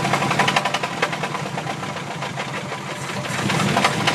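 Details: Mazda B2000 engine revved hard: heavy, loud, sharp deep metallic knocking about four times a second, a badly worn connecting rod bearing; rod knock.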